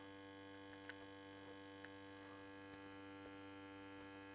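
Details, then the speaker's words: Victron Atlas Combi 12V/800W charger/inverter with no load connected: steady buzzy hum with a faint tick while it wrongly shows load on inverter and gives only about 200 VAC; faulty inverter section. "it does say load on inverter and it is a bit noisy i'm a bit worried about that"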